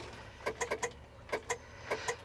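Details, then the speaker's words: International Harvester 1000 truck abandoned over 8 years, key turned after hitting the starter: sharp solenoid clicks in bursts with no cranking; solenoid works, starter motor believed failed. "The solenoid is clicking over like it's supposed to. You can hear it. Click, click, click, click, click, click."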